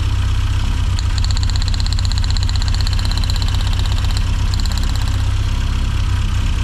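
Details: 1990s Mini Cooper S Sport 5 (John Cooper Garages-built), hot engine at steady low idle with an uneven, lumpy beat of about four pulses a second that never smooths out. New plugs fitted; ignition seems okay. Owner suspects fueling, unconfirmed.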